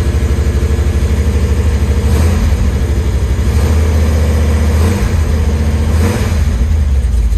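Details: 1973 Chevy Nova carbureted V8 with Street Demon 750 carb (replacing EFI), cold after sitting a few days: lopes unevenly with a deep throb, surging and sagging every second or two. Rough cold idle, hard to start; carb cold-start settings need adjusting.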